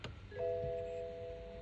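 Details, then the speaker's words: 2016 BMW 218i ex-police car, clutch pressed and start button pushed: no cranking, steady two-tone warning chime, then it switches itself off and everything goes dead; codes include IBS wake-up line fault and starter relay stuck/short; cause unclear. "It just switches itself off. Everything goes dead."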